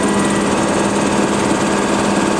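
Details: Compressor on initial startup with empty storage, gauges just beginning to climb: steady, even mechanical hum with a constant low drone, no knocks or surges. Normal running.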